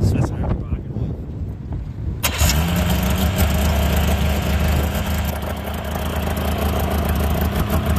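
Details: 1998 Yamaha V-Max 700 snowmobile during its pre-season tune-up: after the throttle override cut-out was fixed and the high idle was screwed down, the engine catches quickly and settles into a steady, even, low idle with no hunting; normal idle.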